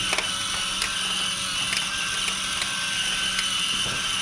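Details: Discovery Mindblown 4-cylinder model engine kit after realigning and pressing up its small motor, which had caused grinding: steady high whir of plastic gears with faint ticks, no grinding; normal gear running.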